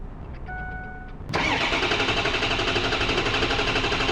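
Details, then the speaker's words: 2005 Ford F-250 6.0L Power Stroke diesel: warning beeps, hesitant cranking before it catches, then an idle pulsing slightly unevenly about four times a second; hard start and rough idle confirmed before diagnosis. "Bueno, como podrán ver, la dificultad de arranque es definitivamente una realidad y la marcha en vacío es ligeramente desigual."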